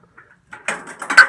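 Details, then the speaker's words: 1950s-era Art-O-Mat vending machine, knob pulled to clear a jam: short run of light metallic clicks then a firm clunk as the vend cycle completes; mechanism cycles freely without binding. "So with the knob stuck out, the way the machine works is it has to complete the VIN cycle. So this piece of metal has to go all the way to the front of this piece of metal on the inside."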